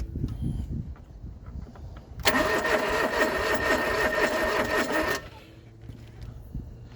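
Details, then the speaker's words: John Deere 445 fuel-injected garden tractor, parked about 8 years unstarted, cranking with tank bone dry: about three seconds of steady cranking, no catch. No start, out of fuel. "Yeah, it won't go. Ooh, she cranks. It's not happy about it."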